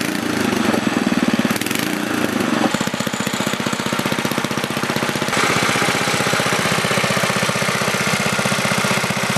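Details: Older 7HP Tecumseh snowblower engine after carburetor rebuild with a new kit, on fresh gas, two shots of primer and choke on: catches and settles into a quick, even single-cylinder putter with steady firing; runs well.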